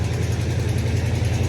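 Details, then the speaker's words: 1986 Chevrolet C10 Suburban small-block V8 of unknown history idling with a quick steady rattling tick over the exhaust beat; broken exhaust manifold rattling, possibly also a sticky lifter, unconfirmed. "okay so somebody would say hey this has got a lifter taking it you hear that lifter tick well that engine is not it's blown up it's it's got a tick and lifter all right"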